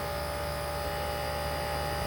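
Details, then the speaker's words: Walk-in cooler at 48° set for ~34°, hissing at the evaporator suggesting low refrigerant: refrigeration compressor runs rough with a harsh buzzy hum and piercing tones while the condenser fan is off, before fan cycle control switches it on. "My compressor sounds terrible."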